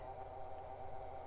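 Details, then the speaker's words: Early-2000s AOpen CustomPC booting after teardown: steady mid-pitched whirring drone with a rough edge over a low hum from the graphics card fan, the only fan not serviced; GPU fan bearing noise. "I'm going to guess it's the GPU fan because it's the only fan I didn't mess with yep sure is"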